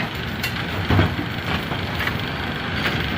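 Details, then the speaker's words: A2 bowling pinsetter with an empty deck: continuous clattering with thumps about once a second and no pause, because it does not stop at 180° to wait for pins; the cycle linkage X pin had broken and was backing out, and the interlock release link is stuck. "So, empty deck. machine doesn't stop to wait for pins here. Let's shut the noise off."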